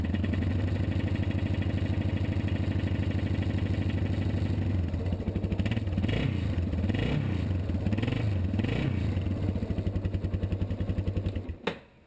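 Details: 1987 Yamaha Warrior 350 ATV just after replacing the starter for an intermittent click-no-crank fault; it starts, then gives even single-cylinder thumping at idle with a few quick throttle blips before shutting off. Runs normally.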